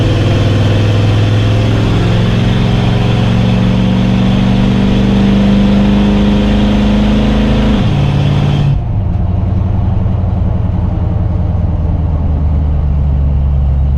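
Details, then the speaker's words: 1990 Chevy K5 Blazer with no low-end torque, headers and true dual exhaust, back on the road after a stall, about to make a left turn: steady drone suddenly sags as the engine stumbles and cuts out. Persists despite new EGR, fuel pressure regulator, TPS, MAP, IAC, O2 sensor, distributor and ignition parts. "So alright, so I'm back on the road now, about to make a left turn, and you can hear it start to cut out again."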